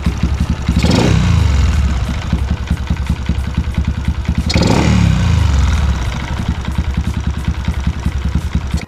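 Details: Honda LC135 with Swipoh 19/22 superhead, Spec63: two throttle blips over a light, fast tick about three per second at idle; owner checked locking and suspects the block or cam chain, unconfirmed.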